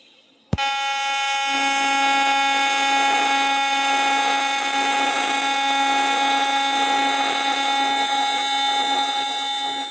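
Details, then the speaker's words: AC TIG welding magnesium filler onto aluminum: steady buzzing arc with popping and crackling, the dissimilar-metal weld expected to crack. "I don't know if you guys can hear that. Kind of popping and crackling."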